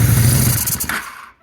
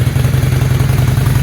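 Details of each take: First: 2001 Honda Shadow VT600CD: idles fine, but the thumping note sags and fades nearly to nothing as the throttle opens; bog on acceleration, no fuel from the accelerator pump nozzle; cause suspected, not confirmed. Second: 2001 Honda Shadow VT600CD V-twin, which bogs on acceleration: it starts and idles fine without choke, a steady, even thumping idle with no stumbles or surges.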